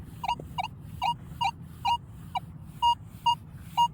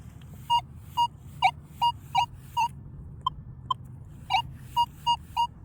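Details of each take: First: Metal detector with the stabilizer turned up to 5 and then 4 (normally run at 1). Beeps of about 1 kHz come roughly once a second, uneven and broken up; the high stabilizer setting makes the target signal choppy. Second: This is going to have stabilizer at 1. Okay. I want you to listen to what it sounds like first.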